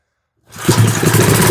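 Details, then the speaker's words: 1970s Hahn Eclipse BHT-120 tiller, 3.5 hp flathead Briggs & Stratton, long neglected, 60 PSI compression, first start after carburetor cleaning: catches with rough, uneven low chuffing, never settles and quits; sputtering start. "Oh, we got it. Now, how do I keep it running? Oh, it just quit on me."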